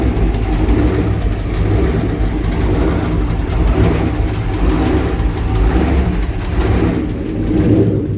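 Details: Jersey Skiff JS39 17ft Bender boat, inboard 350ci V8 of about 400hp with Edelbrock aluminium heads, upgraded cam and Holley 600cfm carb, running on shore water after a 2-year rest; deep, full steady idle with slight waver, no knock or misfire, healthy.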